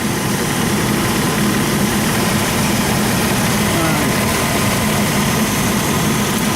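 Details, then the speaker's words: 2001 Chevy 2500 van after days of repair work, vacuum leak still to plug, antifreeze being filled: loud steady low idle rumble, no knocks or misses; smoother than earlier shaking and rattling. "trying to get the antifreeze filled up now but it does sound better than when I come down here kind of shaking rattled"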